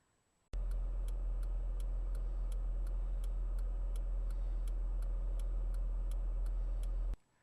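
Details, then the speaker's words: Stock turn signal flasher in a Honda van: light, even ticks about three per second over a heavy low drone, at a fixed volume and rate; it works normally but is quiet and hard to hear. "it's hard to hear the turn signal indicator the volume and frequency are set and can't be adjusted it's particularly hard to hear in my Honda van"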